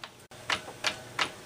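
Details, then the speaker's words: 1961 Seeburg AY100U jukebox gear mechanism: sharp dry click about three times a second, evenly spaced, as the loose rear clutch strikes the top of the sprocket pin instead of dropping over it; clutch needs readjusting despite being set to spec. "Well, we've gone from bad to good, back to bad again. This thing is loose. It's definitely the clutch. The clutch has got to be readjusted."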